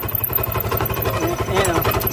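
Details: Scooter (Mio) idling with harsh rattly scraping clatter from the CVT, quiet without the crankcase cover but noisy with it on; a small part catching on the cover is the cause.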